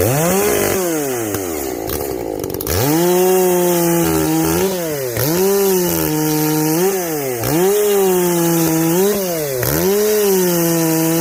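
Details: Echo CS-590 chainsaw after a carb mod with limiters removed, high and low jets richened, exhaust opened up; revs cleanly into each cut, bogs slightly and recovers in a regular rhythm; not running hot, now reaching the coil rev limit.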